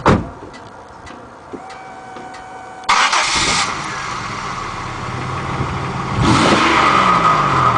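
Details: Buick Century, rear exhaust: cranks and catches, then rough raspy idle with a couple of blips; harsh exhaust note suggests a leak, suspected not confirmed.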